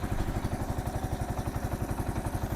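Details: Kawasaki KL 250 single just after top-end rebuild, rings not yet seated: even, steady idle thump, about eight pulses a second, no knocks or rattles; running good, starts easy, no oil leaks.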